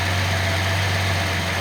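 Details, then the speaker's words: Nissan L28ET six at idle after manifold gasket fixed lean-idle misfire; one injector disabled, low steady hum with slight uneven lope as one cylinder misses. "I'm gonna disable the injector. You should hear it miss."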